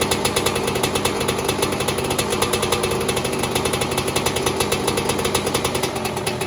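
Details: 2002 Yamaha YZ125 two-stroke, first startup after top-end rebuild, backfired on first kick: crisp, rapid, even crackle at steady speed with no knock or rattle; running normally.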